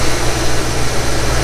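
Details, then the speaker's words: 1991 Ford Mustang GT Foxbody V8, true cold start after throttle body overhaul and cleaning: steady even low rumble at idle, no surging or hunting as before; fix worked, normal idle. "let it idle down here a little bit well that's a heck of a lot better than what it was before i'll tell you that much yep that fixed it"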